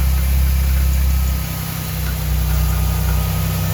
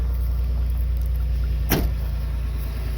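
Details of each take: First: 1989 Chevrolet Celebrity base model, 205,000 miles: low idle rumble hunts up and down, sags too low, surges, almost dies, then catches itself; vacuum leak causing idling problems, IAC valve to be swapped. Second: 1989 Chevrolet Celebrity base model, 205,000 miles, after battery reset and correcting tampered setup: low steady idle hum settling and holding even, one brief click midway; normal idle.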